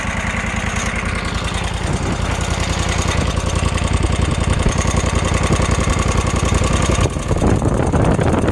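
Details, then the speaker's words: Kawasaki FH601V V-twin on a 1700-hour Scag Tiger Cub mower that revs past 3600 rpm; loose, irregular metallic clanking at idle from a worn plate that mimics rod knock but isn't. "hear that clanking it's not rodnock every one of them i've seen this wears out it just where's that plate makes you think you got rod knock"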